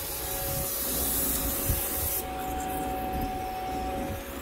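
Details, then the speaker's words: 2000–2005 Chevy Impala with a 3.4L V6, after AC compressor replacement, being charged with 2.25 lb of refrigerant by a machine. A steady airy hiss, brighter for two seconds then softer: refrigerant flowing in while charging, not a leak. "can i hear like a leak that's just charging okay"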